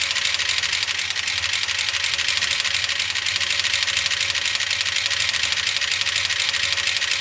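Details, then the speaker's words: Gen 6 454 big block Chevy in a 1976 C30 dually at low idle, a minute or two after start and revving: constant fast sharp clacking; lifter clatter, no oil reaching the top end. "Well, as you can hear, it's not sounding good. It's been a minute or two. I've tried revving up the engine. There's nothing. No oil is getting up to the top."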